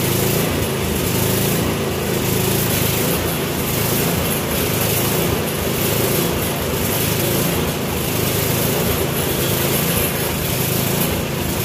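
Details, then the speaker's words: Troy-Bilt small two-stroke after clearing the air vent, modifying the carburetor float and fitting a new spark plug: steady high-speed buzz, no surging or misfire; normal running. "but um i do believe we got this running about as well as it's going to get without getting too involved with uh new carburetor parts"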